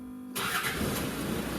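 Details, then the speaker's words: Land Rover Discovery 2 starter motor (Nippon Denso) with worn solenoid contacts: often just one click then silence, but here after a quiet pause the engine catches and runs steadily; hit-and-miss starting. "Many a Land Rover owner's heart must have missed a beat when they first heard this sound. Just one click and then a long, ominous, eerie silence. Occasionally it will start, but it is very much a hit and miss affair."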